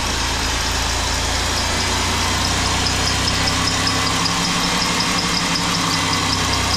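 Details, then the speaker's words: Engine with clean, pink transmission fluid and no water in it: idle with a steady rapid ticking metallic knock over the drone, pretty rough; rod knock suspected from bad bearings, oil additive being tried. "that's pretty rough what's your expert opinion mr. Jerry um there might be knock"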